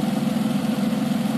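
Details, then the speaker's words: 2002 TVR T350C, rebuilt with 4.3L engine upgrade, warm idle, heard at the front: steady even low throb with no ticking or tapping; smooth healthy engine, oil temperature and pressure good. "so i've just left her running can hear how the engine sounds at the front not very tappy"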